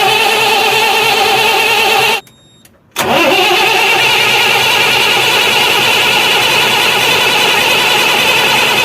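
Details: Cummins truck diesel running loud and steady with no knocking after the engine was repaired and reassembled to cure a ticking noise; the engine sounds healthy.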